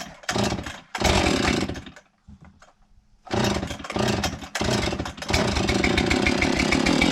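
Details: Husqvarna 576 XTorq chainsaw after muffler repair (mount cracked when two screws fell out, muffler came off): catches after a couple of pulls, stumbles once, then revs to a steady high scream with no puffing or ticking exhaust leak.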